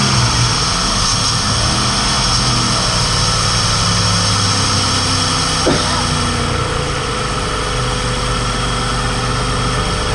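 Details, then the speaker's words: Flip-project car idling, new alternator already fitted by previous owners without curing it: loud, thin, constant high whine over idle from the belt area, getting much worse with RPM; source unknown. "It's freaking loud, as you can tell. I'm not sure what's going on in there. Something in this belt is making all kinds of noise, and it gets way worse even with RPM. That sounds terrible."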